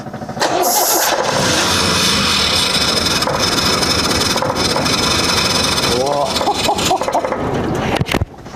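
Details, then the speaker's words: Leyland P76 six-cylinder, unstarted for 5 months and misfiring badly before: it starts, then runs rough and lumpy and won't rev out cleanly; a firing order check then found a problem. "Yeah, that doesn't sound real good, does it? We we might yeah, check your timing. Make sure it's good."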